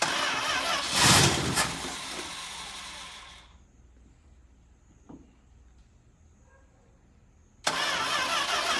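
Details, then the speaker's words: 1967 Plymouth Fury III 383 V8, first start attempt in 15 years after new fuel pump fitted and dry-rotted fuel line removed: long uneven chugging crank nearly catches, stops, resumes; fuel just reached the carburetor, not yet firing. "right there was it almost started and we finally now have gas in the carburetor so hopefully next turn it will go ahead and run"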